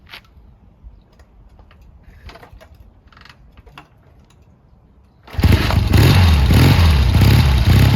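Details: Triumph T140 twin after new carbs fitted and an intake air leak sealed with extra clamps: a few quiet clicks, then it catches at once and settles into a strong, steady beat with no misses or popping. Running normally.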